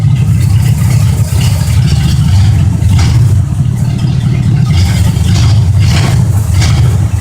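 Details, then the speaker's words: 1972 Oldsmobile 98 with 455 big block V8, cold start; deep even rumble at steady fast cold idle, knock-like sound is only a vibrating part, no knocks or misses, normal idle. "all right guys this sounds like it's knocking but it's just this thing right here sinks vibrating but this thing runs really really good"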